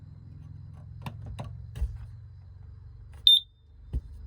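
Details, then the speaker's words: Pop-up A-frame trailer RV carbon monoxide detector, test button held after propane regulator replacement; quiet room then a sharp high-pitched chirp; alarm working. "There she goes. It's working. Safety alert."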